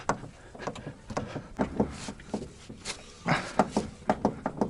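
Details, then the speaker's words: VAZ 2104 (Zhiguli) with the wheel jacked up at the control arm and the engine off: irregular dry creaks and groans under any wheel load, matching the knock heard while driving, traced to the steering gearbox. "задомкратил получается домкратом за рычаг и теперь смотрим Откуда идет звук О как раз таки звук очень похожий на то что происходит в движении этот звук идет у нас от рулевого редуктора"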